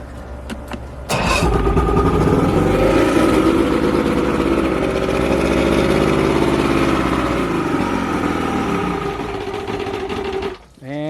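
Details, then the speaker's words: Boat outboard after trip, fuel primer bulb very hard to pump and center carburetor leaking fuel, previously wouldn't idle; long hard crank into loud uneven lumpy run, never settles, cuts out. Hard starting and rough running, cause not confirmed. "and then also look here the carburetor right in the center is leaking fuel all over the place [Music] so oh that sounded terrible"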